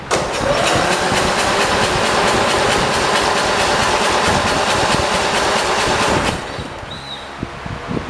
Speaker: i already hear it it sounds like it is leaking yeah let me try it again i think i'm gonna go with it is leaking uh judging by the sound of it